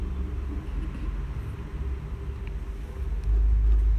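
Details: 4-stroke Euro 4 truck, 3 years old, after sensor cleaning cured black smoke and weak power; steady, even low diesel rumble, no misses or knocks, running smoothly.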